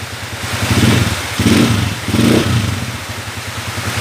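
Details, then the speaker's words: 2010 Honda TMX155 motorcycle after adjustment of a noisy engine (earlier ticking traced to the exhaust): three clean rev blips rise and fall smoothly with no whine or meow; running smooth and healthy. "Okay so Yan na yung andar niya mga bro smooth na wala y maingay kanina brother"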